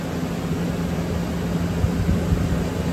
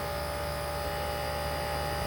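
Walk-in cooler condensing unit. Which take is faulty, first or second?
second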